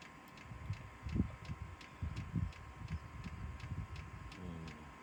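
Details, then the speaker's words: Chinese diesel heater with old controller starting up: steady ticking about twice a second over low fan rumble and burner roar as it ignites; fan speeds up once burning, running normally. "you can hear the fan clicking away in a minute that fan will pick right up that means it's burning"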